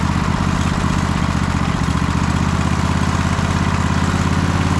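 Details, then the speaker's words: MTD White Outdoor GT2550 garden tractor, 25hp Briggs & Stratton V-twin, first start: rough pulsing idle that hunts high and low and sounds like it wants to stall, idle surging. "You can hear the idles just kind of like all over the place. Now it sounds like it wants to stall. Or maybe that's actually a good idle. It kind of goes high and then it goes low."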